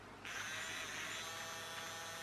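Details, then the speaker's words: Happy Kid Bubbles Watercraft toy water jet boat with dead drive: small DC motor run manually by applying negative to SS8550 transistor base via a resistor; thin steady high whir starting abruptly, no rattles or stutter. Normal running. "so that's me turning the clumsy strong manually to run the motor"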